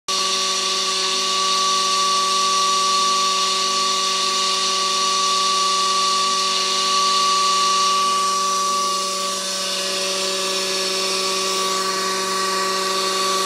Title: Pool pump with bad bearings